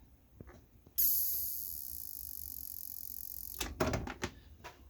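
A thin, very high squeal starts at plug-in and slowly fades; the supply is whining from leaky, corroded filter capacitors.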